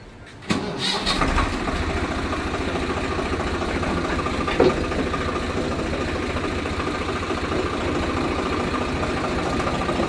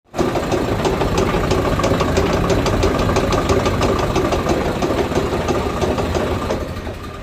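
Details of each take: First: Tractor with rotavator after the shaft lock was opened and the shaft pushed in: engine starts, then settles into a steady, even run with the rotavator turning smoothly; the earlier knocking and shaking are gone. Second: Tractor running a rotavator: steady clacking knock about three times a second from an overlong inner PTO shaft bottoming out, not broken bearings or a bad cross joint.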